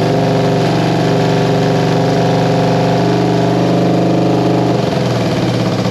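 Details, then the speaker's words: 1973 Honda CB350G on first start after fitting a Mikuni VM28 carb kit: even, steady twin beat at raised revs settling lower; runs cleanly with no misfire, only a leaky petcock left to sort. "so so hey guys so there you have it it's a runner i just got to sort out my petcock"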